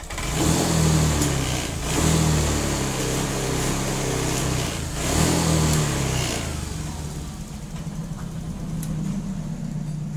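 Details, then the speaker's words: Honda Vario 125/150/160 injection scooter, throttle blips swell slowly and sag rather than snapping up, lazy delayed pickup that is dangerous when overtaking; hesitation caused by a misadjusted TPS (throttle position sensor). "Well , this is the position on the throttle in this kilometer section, it actually goes down, yes, this is very, very dangerous when What do we want to do to pass another"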